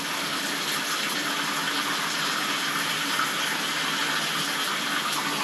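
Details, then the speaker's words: Toilet backing up into the shower drain, after snaking with a cable drain machine: strong steady gush of water with no gurgling, line open and draining freely. "oh there it goes that's the sound we want to hear yay i don't think we're going to be able to get it to back up anymore"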